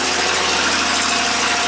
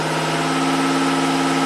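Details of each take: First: 1990 Buick Regal GS V6 with severe low power and low manifold vacuum, running after injector test: rough, uneven idle with stumbling beat; number five cylinder dead, not contributing, from a failed injector. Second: 1990 Buick Regal GS V6 with severe low power, idling after an injector was tapped with a screwdriver: a smooth, even idle with no misfires (IAC 35, MAP 11.8). It is running cleanly.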